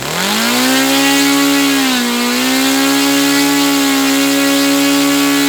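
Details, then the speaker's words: Saito FA-300T twin-cylinder glow engine, glow driver off, needle set 2.5 turns out, with a sticky throttle linkage. A smooth, high-pitched buzz dips briefly in speed, then holds even on both cylinders: normal running. "Okay, so both cylinders were firing then. It was sounding good."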